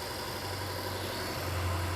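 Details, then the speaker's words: BMW Alpina B7 after replacing the faulty original ignition coil: low, even idle with no stumble or shake, smooth in park and in drive; the misfire is fixed. "how's it feeling there so much it's smooth right oh yeah it's so good smooth like like butter like butter like butter"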